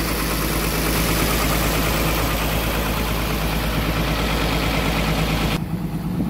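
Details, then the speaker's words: Komatsu PC200-7 excavator diesel engine after starter motor repair (starter previously only clicked, solenoid plunger area suspected): deep, steady rumble at idle, even and smooth with no knocking or misses; normal idle, starter fixed. "ini unit excelnya sudah running ya artinya dinamo starternya sudah beres progress perbaikannya artinya sudah beres"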